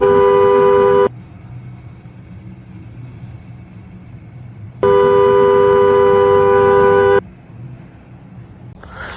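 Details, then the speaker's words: Ford Crown Victoria after shift interlock solenoid repair and steering wheel replacement, battery just reconnected: loud steady two-tone horn blares nonstop as if held, cuts out, sounds again; horn stuck on, owner suspects airbag connection, unconfirmed. "The horn is just on like somebody steadily holding it and pressing it."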